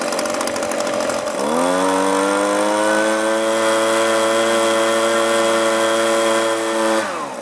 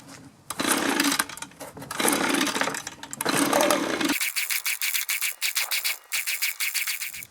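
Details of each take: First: Echo leaf blower after low, high and idle screw adjustment: revs cleanly from idle to a steady high-speed drone without surging, then drops back smoothly; normal running. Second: Echo leaf blower that sat unused for a long time, after carburetor cleaning and refuelling, cranked on choke. Rough cranking bursts and weak uneven sputtering pops that never catch; it isn't drawing fuel. Fuel starvation.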